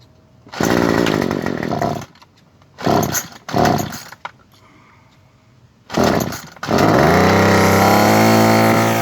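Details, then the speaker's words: Small two-stroke trimmer after turning the high-speed H carburetor screw out about a quarter to half turn (factory set too lean for emissions): snaps cleanly from idle to high revs and holds full throttle smoothly instead of bogging and stalling. "Alright, see how it's running perfectly smooth right now?"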